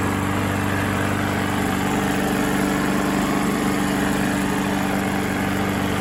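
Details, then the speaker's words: Previously seized Briggs & Stratton mower engine after restoration and engine restore treatment: steady, even drone with no rod knock; normal running. Owner suspects the seizure came from low oil, which was pitch black. "so that's not bad sounds good doesn't sound like there's any rod knock or anything so i think the motor is fine"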